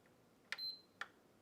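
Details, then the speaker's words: PS5 console, previously worked on: two short high beeps, no fan, no light; suspected HDMI encoder chip not communicating with the south bridge, not confirmed. "Yeah, she does beep. No light."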